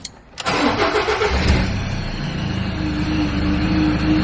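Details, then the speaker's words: Ford Ranger PX diesel (2.2/3.2) restarted after a DIY major service with new oil, oil filter, fuel filter and air filter: short crank, catches quickly, settles into an even steady idle without knocks; oil light went out, normal start. "Oil light has disappeared, so we're all good to go."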